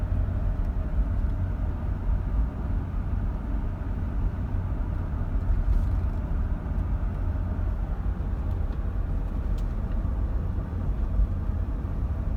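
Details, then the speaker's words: Land Cruiser 80 series driving over bumps after front stabilizer bushings were replaced, with the new bushings still settling in. Steady low road rumble with no pops or clunks and a smooth ride; the front suspension sounds normal, with no clunk. "So seems pretty good so far. Not really getting any sounds, and it's pretty smooth."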